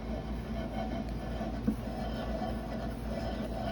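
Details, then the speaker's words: Mitsubishi 3000GT VR4 manual transmission: steady gravelly rumble from a shot end case bearing, first suspected to be the input shaft bearing; the secondary shaft also clicked in gear and stopped with the clutch in. "hear kind of a gravelly sound so my in case bearing i thought it was my input shaft bearing but it was my end case bearing that was shot"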